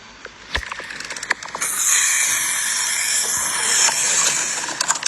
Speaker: When I was unscrewing the fuel tank cap just now, there is a puffing sound.